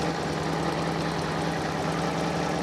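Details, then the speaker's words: Fiat Panda 4x4 Sisley, warm, after throttle and mixture screw adjustment brought exhaust gas down to about 0.5 ppm: small four-cylinder ticking over evenly and smoothly with no hunting or misses, a healthy idle. "so it's uh yeah it's running really nice now as you can hear"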